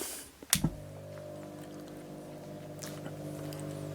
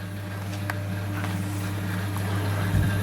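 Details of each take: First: Leslie 910 rotary tremolo reverb speaker during a fast/slow motor test: a click, then a steady low hum-buzz for about four seconds, then another click. Owner suspects the lower rotor trying to turn when it shouldn't; the buzz stops after switch-on. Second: Leslie 910 rotary speaker under repair: steady low motor hum with quick pulsing as the two-speed top rotor and single-speed bottom rotor spin normally at fast speed.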